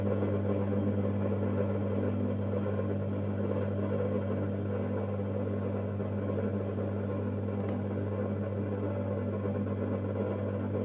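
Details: Mazda Junior G light fitting with a halogen-floodlight-style reflector, warming up: a steady low mains hum with a coarse buzzing rattle, as the reflector vibrates even though it is screwed on tight.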